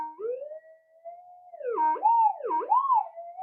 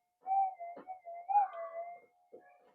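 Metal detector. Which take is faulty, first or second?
second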